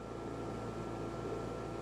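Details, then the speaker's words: Dometic Penguin rooftop RV air conditioner running with a constant low droning hum under a steady fan rush and a thin whine on top. The unit vibrates against the roof because its mounting bolts are loose; tightening them usually fixes it. "as you notice that humming noise is usually as simple as just tightening up one of these four mounting bolts"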